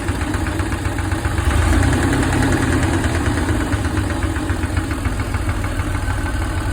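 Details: 1995 Chevy G20 van, 4.3 engine, first start after bleeding air from new fuel pump/sender lines, oil pressure about 55–60: ran smooth, then loud rough idle with irregular low knocking; cause not yet diagnosed.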